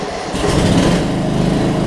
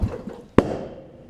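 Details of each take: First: Murray riding mower, almost 20 years old, after new gas tank install, started on a jump box/battery: catches within a second, then a steady, even single-cylinder run with no misses or knocks; normal running. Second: Murray riding mower, almost 20 years old, running smoothly at low rpm. At switch-off, a few soft pulses and a pause are followed by one sharp exhaust pop, unburnt fuel burning in the muffler. The muffler is not clogged, and this is a minor, typical Murray quirk.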